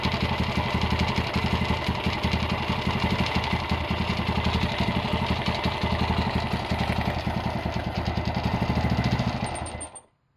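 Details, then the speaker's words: Honda GL100 (GLK 100) engine before restoration idling with a loose busy rattle on each firing pulse, about three a second, from the clutch side; head side quiet, engine also smoking and leaking underneath. "Ini kendalanya seperti yang tadi kita dengar, suaranya berisik di bagian kopling ya."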